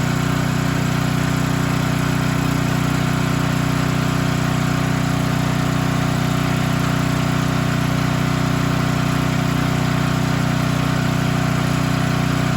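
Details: Storm generator that would not start after running out of gas and refueling; fired up (float needle had stuck open and spilled fuel): steady even drone, constant low hum, no stumbles or surging; running normally.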